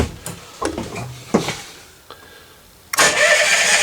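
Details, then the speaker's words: Kohler marine generator, new battery fitted (old one not charging, charger suspected): after clicks, starter spins the engine briskly and evenly from the switch; cranking circuit and battery healthy. "we're going to see if it cranks over fast from this switch, which it does,"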